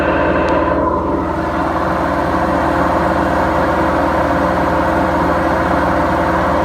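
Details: BEKO washing machine, 7 years 8 months old, with bad bearings: a loud, steady rumbling roar with a low throb throughout the drum spin, pointing to worn drum bearings.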